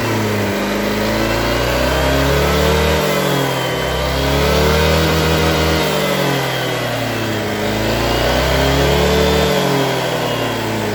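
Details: Honda Vario 150 injected scooter that stalled on throttle after morning starts, after cleaning the fuel pump filter: idles steadily, then revs up and down cleanly several times without stumbling or stalling; runs normally.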